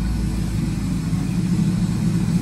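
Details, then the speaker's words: Cylinder 6 misfire at idle on a 2002 Ford F-150 SVT Lightning with a 5.4 L supercharged V8, rebuilt two years earlier and suspected of a blown head gasket: low, rough, slightly uneven idle; power balance test shows a dead cylinder 6. "go ahead and hit okay you guys can see that we definitely have a dropout happening here on cylinder number six pretty much a dead misfire so that is something we do want to focus on"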